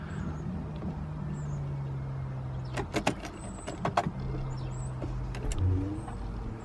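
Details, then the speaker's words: BMW E46 diesel after fuel filter replacement with the filter drained: low steady electric buzz for a few seconds, stops with clicks, then restarts; fuel pump priming diesel up to the injectors. "And now then, we need to get the thing started because obviously we have drained the fuel filter, so we need to go ahead and prime the fuel pump a few times, get some diesel in the system up to the injectors, and then we'll go ahead and try and fire it up. Yeah, you can hear the fuel pump pumping fuel through."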